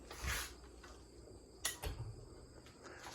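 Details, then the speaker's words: Carroway EF300 industrial ceiling fan accelerating slowly from zero to high: quiet spin-up with a few loose clunks and rattles from the downrod shaking on its mounting pin. "that was the down Rod shaking on the PIN yeah this might be rivaled with the gold silver line excuse me for the slowest or zero to high of all the fans I have"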